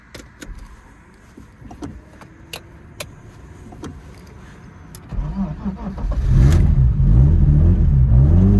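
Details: BMW E36 turbo after an alternator rebuild with new bearings and a new timing tensioner: a few clicks, then the engine starts and settles into a loud, rhythmic running noise from the timing area, unchanged by the repair.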